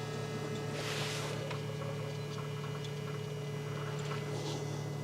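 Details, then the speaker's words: BMW E46 3 Series during fuel pump replacement, engine off while priming: steady low electric hum with a faint higher whine; the main fuel pump and the pre-supply pump sound noisy, thought to be bleeding air; cause unconfirmed. "Yep, fuel pump sounds quite noisy. I guess it's just bleeding all of the air out of it."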